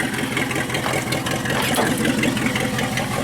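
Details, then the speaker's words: Worn 1976 AMC Jeep Cherokee Chief with AMC 401 V8: steady, even idle burble with no misses, knocks or ticks. No smoke, no lifter tick this morning, and the water pump bearing sounds good. Normal idle. "so right now no smoke it's running water pump bearing sounds awesome"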